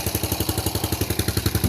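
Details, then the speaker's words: Yamaha Jupiter Z1 after teardown, kick-started because the battery is uncharged (complaint: the kickstarter slips and the starter won't start it). A steady idle of about twelve pulses a second with a light clatter on top; the mechanic recommends a rebore or new cylinder block for the slight noise. "Yang penting motornya nih hidup dulu, teman-teman. Masalah bunyi berisik dikit itu nanti ya. Nanti si bapaknya ini saya sarankan untuk dilemer ulang atau di coulter."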